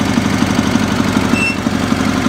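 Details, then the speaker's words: Sears SS/16 V-twin garden tractor idling with no choke needed: a regular light knock rides over the steady idle several times a second. The oil level was below the add line when it was bought, and the owner fears engine damage, but the cause is unconfirmed. "there's that knock and as you know i'm kind of worried about knocks the oil level was below the add line when i got the tractor so hopefully they didn't damage the engine"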